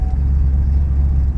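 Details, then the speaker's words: Camaro started after about two years sitting, oil pressure fine: a deep heavy idle rumble with a loping, uneven pulse and wavering level, running rough and not sounding happy. "Oh man, this thing does not sound happy."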